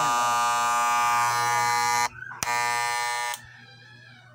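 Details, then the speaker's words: Seven-year-old hair clipper runs with loud, harsh buzzing and a rattling edge, switched off and on; loose blade rattles, fixed by cleaning the blade. "ayan po sobrang ingay niya"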